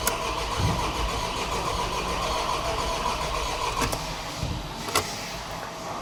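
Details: VW T5, first start attempt after replacing defective cylinder head from overheating and clearing fault codes: starter churns steadily several seconds but engine never catches; cranks but won't start, cause suspected, not confirmed.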